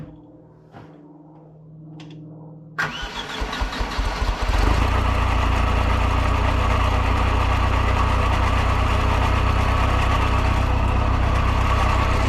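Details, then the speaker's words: 1973 Hydro Mac skid steer after an engine refresh and timing set, distributor turned so it started a little hard at first: cranks briefly, catches and settles into a steady even low idle, no knocks or misses; normal start and idle. "But it seems to start okay. It started a little hard at first because the distributor was turned."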